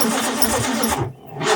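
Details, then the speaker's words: Car from a broken car collection: starter turns the engine over sluggishly, drops out briefly, then labours again without firing; battery suspected weak like the other cars, not confirmed. Slow cranking. "Sounds like the battery's got a similar disease to the other cars."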